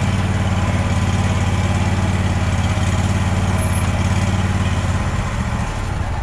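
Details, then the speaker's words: Small single-cylinder mower engine that sputters while cutting fine, oil leak already fixed: uneven putter at idle, beat stumbles and sags near the end; possible fuel delivery issue, owner suggests checking throttle cable stretch. "sometimes when we hear the puttering we instantly freak out I know I have always in the past"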